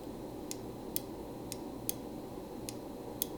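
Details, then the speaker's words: 1984 JLG 80F boom lift PQ controller: sharp, crisp clicks about every half second over low room hum as the microswitch closes; normal switch operation. "be able to hear that when that clicks that switch is on it's closing"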